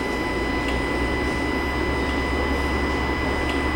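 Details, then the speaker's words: 2018 Ram with Hemi, idling, cylinder 4 deactivation solenoid (no code) toggled by scan tool: faint, evenly spaced healthy clicks, with the thin high whine coming from the throttle body. "yep I can hear this yep you can hear that one clicking let me get you guys down [Music] there okay so we can hear cylinder 4"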